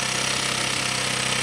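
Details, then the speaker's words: 125cc four-stroke single, 7621 km, top end rebuilt, right after adjusting valve clearance: starts, fast even putter with no tapping anymore; idles cleanly, clearances now correct. "On essaye. Ça démarre. Et ça claque plus. C'est parfait."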